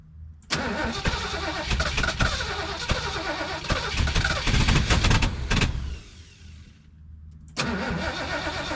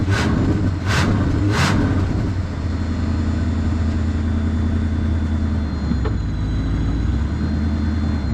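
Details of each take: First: 1973 Mercury Grand Marquis Brougham, 429 Ford V8 with C6 transmission, 55k original miles, sat for an unknown time, fed from a boat tank after a fuel filter change and priming: the starter grinds in uneven bursts but the engine never catches, a no-start. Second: 1973 Mercury Grand Marquis Brougham, 429 Ford V8, C6, 55k original miles, after replacing fouled plugs and freeing a stuck choke: after a few blips drops to a low steady even idle without racing.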